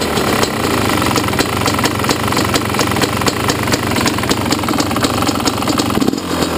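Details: Yamaha YZ250 two-stroke at idle: sharp regular tick about four or five times a second over a steady idle; owner heard it could be the power valve or a worn top end needing replacement; cause unconfirmed.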